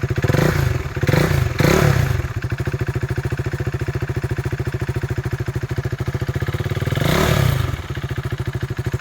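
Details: 2016 KTM RC 390 BS3, about 29,000 km, recorded with mic removed: single-cylinder idles evenly and picks up cleanly on throttle blips, no knocks or rattles; engine sounds healthy.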